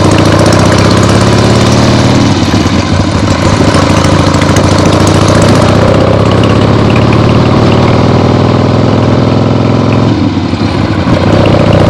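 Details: Freshly rebuilt 1975 Harley-Davidson XLH Ironhead Sportster V-twin on short test ride around the block; uneven beat swelling and dropping with throttle and gear changes, no knocking; a few carb farts, likely adjusted out once warm; transmission good; normal running.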